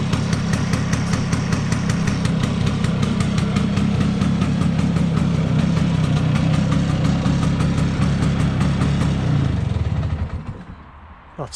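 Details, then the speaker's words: Vespa P200E two-stroke scooter after restoration and air leak-down testing: even steady tick-over with regular popping beat, idling where it wouldn't before, then cutting out. "sounds much better and it's ticking over which it wasn't doing before"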